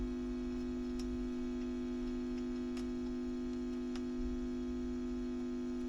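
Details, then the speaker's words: WEM Westminster MK9 10-watt push-pull valve guitar amp, ECL82 outputs, about 309 V plate to ground, during restoration: steady low hum with sharp ticks as wires are disturbed; owner guesses the wiring, notes poor filament wires, unconfirmed. "wires yes so I think that's what's causing that I'm guessing although the filament wires leave a lot to be desired"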